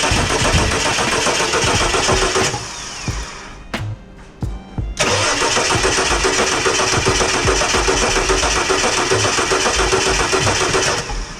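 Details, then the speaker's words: Ford XE Falcon with added LPG relays cranks fast and evenly, pausing and resuming, but never fires; the fuel pump does not sound like it is priming, and a relay problem is suspected. "it doesn't sound like it's priming it might actually be a relay problem"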